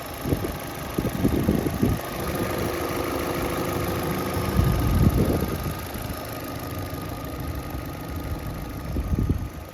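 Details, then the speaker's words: £350 Vauxhall Astra after valve cover change and coolant/oil top-up, engine light now gone, warming to operating temperature before engine flush, checking for leaks: steady low idle with a few louder surges, no misfire stumble; normal idle. "So, now that the car valve cover and everything's been changed, the engine light's actually gone. So, that's a good thing. Um, just warming up the engine um to operating temperature and we're going to do an engine flush."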